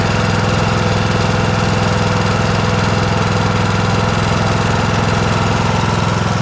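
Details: John Deere S100 riding mower after its annual service (oil and filter changed, parking brake set): steady even single-cylinder chug at about two beats per second, no misses or knocks. The engine runs smoothly.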